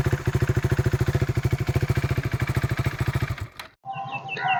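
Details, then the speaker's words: 2016 KTM RC 390 BS3 single-cylinder, about 29k km, recorded with the mic removed: quick, even thumping with no stray knocks or rattles before shutoff; no difference in the sound. Normal idle. "അപ്പൊ ഇതാണ് വണ്ടിയുടെ sound ഒക്കെ കേട്ടോ sound വ്യത്യാസമോ കാര്യങ്ങളോ ഒന്നും വന്നിട്ടില്ല പക്കാ clear ആയിട്ട് തന്നെയാണ് വന്നേക്കുന്നത്"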